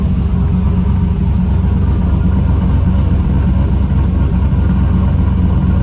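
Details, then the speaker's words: Trailblazer SS with long tube headers and full 3-inch exhaust: deep, loud, even V8 idle lifting cleanly on revs with no knocks or misses; engine healthy, just loud exhaust; not yet driven. "Still runs good, still sounds good. got full 3-inch exhaust on"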